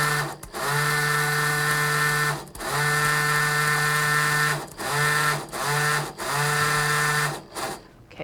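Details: Spolar Gold Premier shotshell reloader's primer settling vibrator, worked by a momentary push-button switch in short bursts, moves Winchester 209 primers from the tray into the track. Short, even buzzing bursts start and stop cleanly with a steady hum; it works normally.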